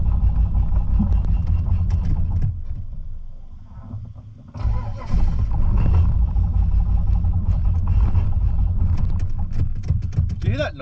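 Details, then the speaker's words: Holden VN Calais V8 build on its first drive: uneven lumpy beat with stumbles while pulling away; misfiring because it ran so rich it kept fouling the spark plugs. "It's misfiring. Odd, isn't it? >> It was just running so rich. It just kept failing the plugs."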